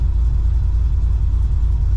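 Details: Cammed LS1 SS Commodore after full rebuild and a new tune, idling back at the garage: deep, even V8 burble at low revs with no stumble or surge. Normal idle.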